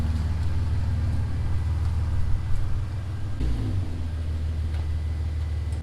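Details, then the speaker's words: Nissan 370Z driving after swapping a Tomei clutch-type diff for a Quaife diff: steady low road and engine rumble under light throttle, no whine, clunk or clutch-pack rattle; normal quiet differential. "I've noticed now that there is of course no differential noise whatsoever I can't hear anything coming from that diff I don't hear the clutch packs rattling around like I got with the Tomy diff"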